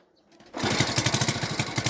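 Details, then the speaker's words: Delta moped, restart after a successful run: fast pulsing firing tries that never catch; won't start; owner suspects the plug is flooded, possibly too much air giving the wrong mixture and a sooted plug. "Це воно так заводиться. Бачите? Напевно свічку вже залило. Зараз уже не хоче заводити."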